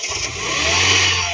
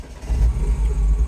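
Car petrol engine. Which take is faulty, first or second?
second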